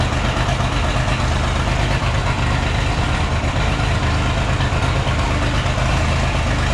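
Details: Oliver 1650 tractor diesel started after sitting at least 3 years, fluids checked, new battery; heavy, lumpy, stumbling idle, not firing on all six cylinders, lots of smoke, needs at least injector work; cause not confirmed. Misfire.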